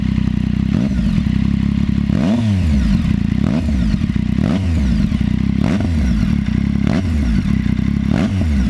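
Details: ST3 engine: loose metallic clatter rising and falling with each throttle blip, like top-end chain rattle; engine clatter, cam chain tensioner (CCT) suspected, not confirmed.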